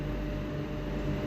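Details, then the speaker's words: High-speed cage fan after repair: motor was jammed (shaft bearing freed with WD-40) and capacitor was faulty; now a steady low hum and even whir, no scraping or stalling, running normally. "দেখেন বন্ধুরা ফ্যানটা চলছে। তার মানে ফ্যানটা jam ছিল এবং ক্যাপাসিটরও সমস্যা ছিল।"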